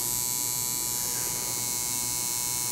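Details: Tattoo coil machine running dry (not yet dipped in ink) on a power supply with a foot switch: a steady, even, high-pitched electric buzz with no stutter or missed strokes; the machine is set up correctly and running normally.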